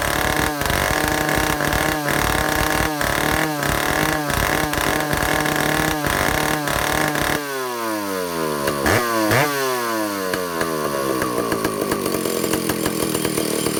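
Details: Vintage Stihl chainsaw, power head only, air leaks fixed, new old stock governor valve, low speed set, testing high-speed needle: blipping, then long rev that climbs and levels off short of full top speed; limited top speed.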